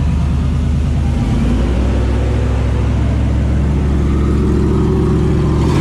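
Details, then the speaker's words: 5.3 V8 with Texas Speed 224r cam, untuned, first run in the truck: steady, even low rumble with no ticking or clanking, then a smooth rise in revs; healthy engine, no knock. "so all right so it's alive it ruins there's no there's no uh clanking or clinging or banging or"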